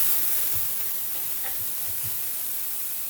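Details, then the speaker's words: Refilling an empty 1 lb propane cylinder from an upside-down 20 lb tank, liquid propane transfer: soft, steady hiss with faint ticks until pressures equalize; normal flow. "did you hear that hissing guys if you can hear it or not basically it's it's still hissing so i'm going to leave it now this tank was completely empty so it's still hissing"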